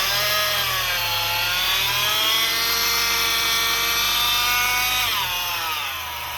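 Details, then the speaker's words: Honda 2.4 four-cylinder (2013-2017 Accord/CR-V), before repair: a loud, steady high-pitched supercharger-like whine that drops with revs from a failing aftermarket tensioner pulley bearing, replaced only a year earlier. "if you've been at a red light and you have Dodge hellcats trying to race you because they think you have a supercharger let's get that noise fixed"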